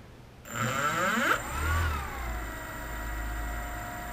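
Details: RC Logger Eye One Xtreme quadcopter that previously would not start the motors on one side, after resetting and re-pairing the remote: the motors whir up together into a steady, even high hum with no stutter. All rotors spin up normally.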